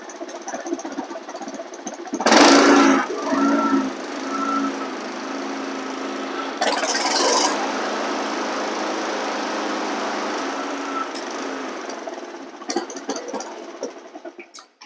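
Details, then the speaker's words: Flood-damaged Honda HRX lawn mower after repeated oil changes (oil still dark, grey): small engine holds steady even drone after starting, few handling noises; runs clean and healthy. "Let's fire this thing up. And you're going to hear it sounds good."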